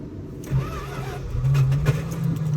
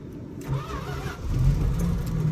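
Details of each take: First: Old farm truck in sub-zero Alaska temperatures, started with a little gas poured in as a trick: cranks briefly, catches and settles into a steady even low rumble; healthy cold start. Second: Old farm truck in sub-zero Alaskan cold, after pouring a little gas in: slow, labored cranking with weak catches that doesn't settle into idle; hard cold start before it finally fires.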